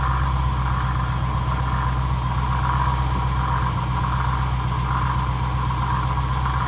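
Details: Dodge Challenger Scat Pack idling loud and steady with a low drone and a slow wavering whir on top from a bad water pump; the pump was later replaced under warranty.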